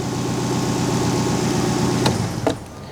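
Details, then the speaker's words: Mercedes 190E with swapped M111 engine, freshly tuned, running after build: catches quickly and settles into steady even idle without misfire or stumble; clean healthy start. "perfect that's good you know we haven't lost the starting power yet"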